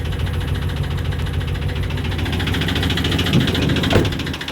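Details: Chevy 350 5.7 L V8 just after the intake manifold was removed and its gasket replaced. A rough idle with a light, quick tick (or diesel-like knock) about three times a second over a low rumble. Clicking attributed to low lubrication.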